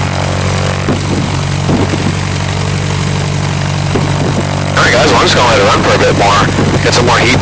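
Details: Revmaster air-cooled VW flat-four in a Sonex aircraft, left running to build heat, with CHT rising on both banks and oil pressure present: even, steady idle pulsing about four times a second, no misses or knocks; healthy warm-up.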